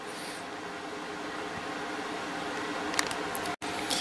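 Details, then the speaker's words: 12-inch Penncrest two-speed box fan with a 1.4 A General Electric motor coasting down: a soft, even airy whoosh with no rubbing, ticking or grinding, good spin-down time, a normal, healthy motor. "Spin down time is real good, and the motor's nice and clean."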